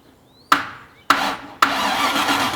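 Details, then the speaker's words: 1989 Land Rover with Range Rover V8 cranked after ignition wiring reconnected: sharp starter engagements then steady spinning churn without catching; engine turns over freely, not seized, starter motor works; normal cranking. "that's turning over that ain't seized that ain't stuck sounds like an engine spinning that's amazing"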